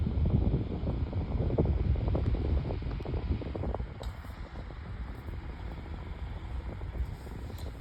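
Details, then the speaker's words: 8-inch Better Homes and Gardens metal table fan, remade, started on low speed: soft whoosh settling into a steady even hum, possibly a tiny bit of bearing noise; normal running on low. "so now we'll go ahead and start the fan up starting out with uh low"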